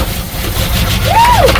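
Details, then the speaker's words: 1979 Pontiac Trans Am V8 parked in a garage over a decade: cranked, then with a little gas poured into the carburettor it catches, runs roughly a few seconds and dies when the fuel runs out. "yeah that's all right I only put enough in there to run for a few seconds that's all right at least we got it going"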